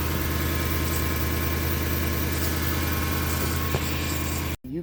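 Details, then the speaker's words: Lexus LS400 on a morning start: steady idle with a thin constant whine as the wheel is turned, power steering pump failing with reduced assist. "hear the pump whining in the morning and it's just pretty obvious to me that the pump is not gonna last a whole lot longer"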